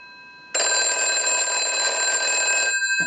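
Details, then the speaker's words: Repaired and converted British desk telephone on final checkout, transmitter installed with damping filters: the bell rings bright, clean and strong for about two seconds with no buzz or rattle, rung several times. Normal ring. "It's got a very cool ring to it. We'll let that go a few times. Very unique. I'll let it go one more time."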